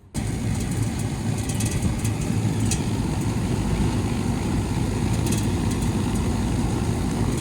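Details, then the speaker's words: 1996 Goodman R22 AC condenser running after repair with fan now working: steady low hum with even fan whoosh, no clicking or buzzing, hot air discharging normally. "She's running, but it ain't near as hot as it was when it had no fan."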